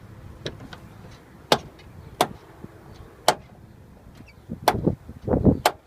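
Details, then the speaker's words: Jeep Cherokee Sport XJ door: sharp pops and clacks as the door opens and closes, not the door itself but the worn check housing down low whose pin snaps back and forth; removing it is an option. "The door is popping. Now it's actually not the door, it's this little check housing down here."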